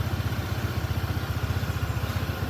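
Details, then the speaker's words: Honda ADV 160 scooter after rear pulley/CVT service following hard top-speed riding with friction noise: steady even idle putter with regular firing pulse, rear wheel turning slightly, no scraping or rubbing from the belt drive anymore; sounds healthy. "A pusing sikit-sikitlah. Tak ada bunyi gesek geseran dah."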